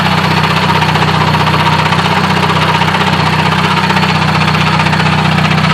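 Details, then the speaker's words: Transmission clanking at idle, hood up, after a grinding failure in 3rd gear that left no engagement in that gear: coarse regular clank about three per second over a low rumble. Suspected throwout bearing or input shaft, later thought likely a taper bearing. "It might actually be the throwout bearing. This could also be the input shaft though."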